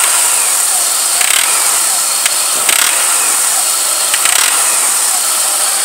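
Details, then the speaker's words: 1999 Pontiac Grand Am 2.4 L Quad 4, tensioner and pulley already replaced: at idle and on first throttle, harsh rasping bursts every second or so with tensioner visibly jumping; suspected serpentine belt slipping under load. "okay here's the noise it's when it's idling like so and you first hit the gas it's coming from you can see the belt tensioner jumping a little bit when it makes that noise"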